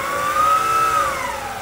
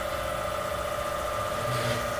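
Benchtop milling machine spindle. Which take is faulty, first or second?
first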